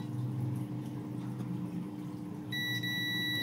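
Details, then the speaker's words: Daikin inverter AC PCB with E9 error, multimeter continuity test tracing a print from a diode toward a 100k (104) resistor: partway in a clean, steady high beep holds unbroken, confirming continuity. "आप सुन सकते हैं beep हमें सुनाई दे रही है यह यहां पर जा रहा है"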